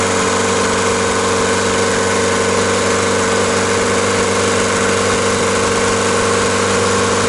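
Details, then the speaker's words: Old VW MK2 diesel, first start after fitting new fuel return lines. The accelerator did nothing, so the engine ticks over steadily at a fixed low speed with no rise, idling on lift-pump fuel pressure alone. "what did we learn here we learned that our accelerator this guy was literally doing nothing this is our our our accelerator and it was literally idling which you heard just now was idling off of the lift pump itself"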